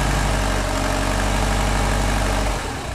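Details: Subaru STI with GT35R turbo at about 2400 miles, idling: light loosely regular clicking about four a second, louder on revs and spool-up, said to come from the compressor housing; car still pulls and holds boost, cause unknown.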